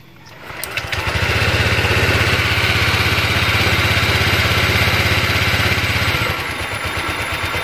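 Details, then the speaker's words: Honda Vario 125 ESP scooter after fixing a high, erratic idle (ACV sensor area glued to stop a leak, spring tightened): steady, even putter that settles down to normal idle with no surging or hang; normal idle. "ternyata sudah kembali normal ya di RPM sudah lamsam sudah mau turun ya"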